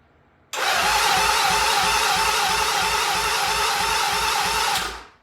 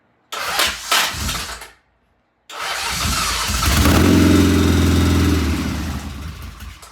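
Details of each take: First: 1975 Norton motorcycle before its first start, compression reading creeping to only 60 and 90; even, light cranking chuff about three beats a second under a loud starter whirr; low compression. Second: 1975 Norton motorcycle, first start after rebuild and timing readjusted to the proper mark: short crank, then catches, swells to a brisk even beat and settles; clean start and steady running.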